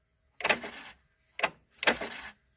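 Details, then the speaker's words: 2008 Chevrolet Avalanche with code P0690 (ECM power relay circuit high), reduced engine power and stalling after restart: sharp crackling snaps in short bursts as a loose ground arcs visibly. Arcing loose ground connection. "Hear that? Got a loose ground. Yeah. See the arc right there."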